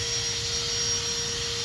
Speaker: and you can hear air escaping from the exhaust manifold gasket that's by the exhaust manifold